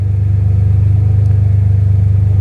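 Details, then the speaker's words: First start of a freshly swapped BMW M3 S54 engine, surge tank connection still unfinished: a deep, steady idle with an even low throb and no ticking, knocks or misses; oil pressure good, alternator charging, no smoke. Normal idle. "We got the thing running. It is good. Oil pressure is good. The engine sounds healthy. There's no smoke."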